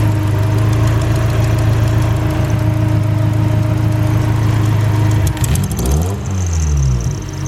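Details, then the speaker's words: Car engine idling cold just after the ECU was reinstalled, before a test drive. Steady, even low hum at about 850 rpm, a little above the normal 700; slightly high but considered fine, no misses. "uh it's idling pretty high but that's all right i don't a little high normal it's like a little bit above 700."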